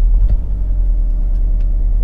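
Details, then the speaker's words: Cheap BMW Z4, service overdue by 38,000 miles, just started: deep lumpy idle with an uneven beat, running on three cylinders; misfire suspected to be a coil pack, unconfirmed. "will it start well we've got quite an obvious misfire there"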